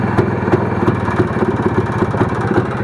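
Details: Motorcycle carburetor throttle plate rattle: engine runs quietly at idle, but at a slightly opened throttle a light metallic rattle about three times a second comes from the loose throttle plate, not the engine; fix is a replacement plate.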